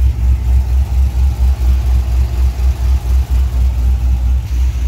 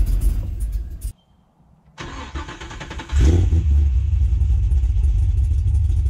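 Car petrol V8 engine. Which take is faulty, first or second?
second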